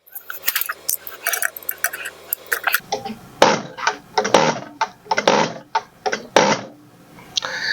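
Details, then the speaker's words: Injector from a 1999 Mack E7 E-Tech with a misfire, on a pop tester: crisp consistent chatter, good spray pattern, opening pressure about 260, low and technically out of spec; return at the fuel hole looks a little excessive. "Chattering good, spray pattern looks good. Popping off about 260."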